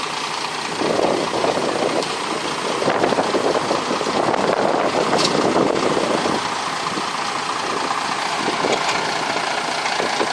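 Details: Broken boat engine idling: rough irregular clatter about three beats a second, not steady, sounding worn; rough running, cause unclear, and the engine is said to need replacing with a new one.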